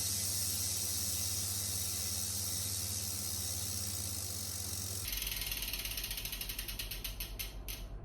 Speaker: although I can spin this wheel now and it's going to spin quite well it will slow down quite quickly because of the pause the springs and the grease that's stopping it